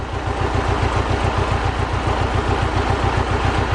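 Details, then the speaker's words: Mercedes 190E 2.0 M102, sat unused for over 3 years, warm: low, lumpy idle thumping three to four times a second, uneven from beat to beat, with the engine shaking the car a lot. The engine mounts are judged worn beyond repair, suspected as the cause. "but in reality this engine it really shaking the car about quite a bit and the engine is shaking"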